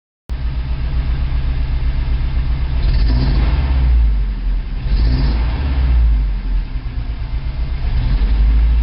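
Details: 1987 Toyota 4Runner, high-mileage reman engine, cold start first thing in the morning, clutch in, throttle blips: rough, uneven rumble that surges and never smooths out, still misfiring after 3 minutes. Cause: cheap head gasket leaked coolant, cracking the aftermarket head and fouling plugs.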